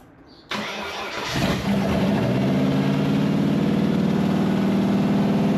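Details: Wrecked 5.0 V8 Mustang non-runner on open headers, started after a missing engine ground was added: cranks briefly, catches and settles into a steady, even idle with a low burble and no misses; engine sounds healthy; normal start and idle.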